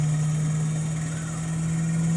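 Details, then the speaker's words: Fusor vacuum system: turbomolecular pump switched on at about 10 microns, spinning up toward 90,000 RPM; strong steady tone near 160 Hz over low hum as pressure drops, normal clean run. "And you'll hear that thing whine up. You can hear it. It's building up to 90,000 RPM."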